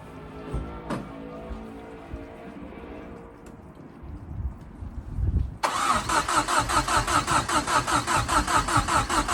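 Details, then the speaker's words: Fiesta RS Turbo, air filter off, Easy Start sprayed: steady starter churn about two and a half beats per second that never catches; crank no-start, fuel apparently only just being pulled through. "okay so what it seems just pulling a fuel through now let's get some more easy start on your"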